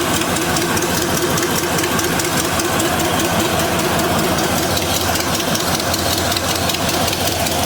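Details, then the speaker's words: Chevy C10 square-body with a once-seized 5.7L 350 V8, started after revival: rough, loud idle with an uneven puffing tick; exhaust leak suspected at the header collector flange where it meets the pipe. "I think it's down at the uh collector. Let me uh Sounds like it's down at the flange down there."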